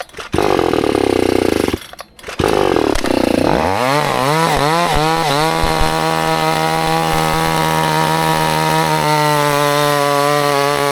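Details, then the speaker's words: Vevor two-stroke chainsaw deliberately run on gas with no mix oil, already smoking, restarted: it sputters, then settles into a steady high buzz; teardown afterward shows heavy bottom-to-top piston scoring that lets compression leak past. "So this piston, we can see has some really, where's my pointer? Some really big scoring on it. See how that score goes all the way from the bottom to the top? So that's just allowing pressure to release around the sides of this piston, so it can't"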